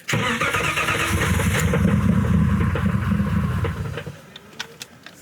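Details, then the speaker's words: Boosted BMW E36 first start-up attempt after building oil pressure and connecting fuel pump fuse: starter churns about four beats a second for four seconds with no firing; crank no start, suspected no fuel in tank. "I think it needs gas. don't got no gas in it."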